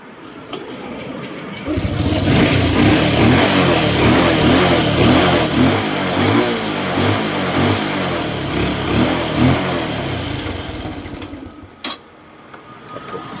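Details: 2019 Honda Wave 110i with hard or no-start, suspected fuel not delivering, new spark plug, good compression; with a test fuel pump fitted it catches after short crank and revs cleanly; fuel pump to be replaced.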